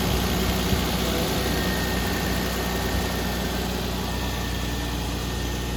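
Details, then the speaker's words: 1992 Toyota Supra MK3 turbo, automatic, about 300K, after sitting over 20 years, started after priming. Steady, even low rumble with no stumble or miss; normal, healthy idle. "I don't see any dripping underneath um it's actually running really smooth"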